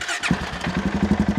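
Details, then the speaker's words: 2016 Polaris Sportsman 570 with rebuilt engine after fitting a new battery (old AGM tested bad): brisk, even, strong starter cranking, turning over much quicker, normal. "here she turned over a lot quicker"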